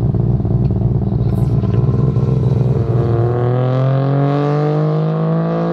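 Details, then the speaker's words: Three-rotor street-port RX-7 on a low-boost street pull: loud buzzy rotary with an uneven, choppy rasp before the tone climbs; it breaks up around 4000 rpm. "like I said there's a big issue with it about 4000 rpm it starts breaking up"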